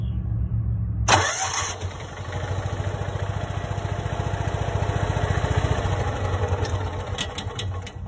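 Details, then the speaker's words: Kawasaki FE290D in a John Deere Gator, runs and dies, bucks, pops through intake and exhaust; fuel ruled out, plug wire resistor ruled out: cranks, catches, runs rough single-cylinder beat then loses spark and dies; failing ignition coil. "it loses fire so it's got to be the coil and we'll get one in"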